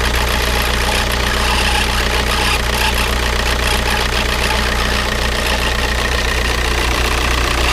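Loud diesel idle with an irregular knocking tick, roughly two to three per second, over the clatter; abnormal internal noise, cause unknown.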